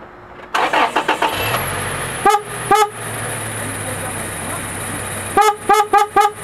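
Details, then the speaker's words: Toyota Tacoma horn filmed up close in a parking lot on a very cold day. The owner says it misbehaves only when cold, but here it gives several short, clear toots at a steady pitch with no warble, sounding normal. "that is the horn right there let's just do an up close shot perfect is that the one yeah that's the horn right there perfect but now it sounds normal"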